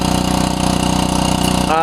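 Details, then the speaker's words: Small gas DC generator charging an RV's batteries while the solar panels are shaded: steady, even beat with a light buzz and no stumbles or knocks; normal running. "I got my DC generator fired up and going into the RV to help because the solar panels are in shade now"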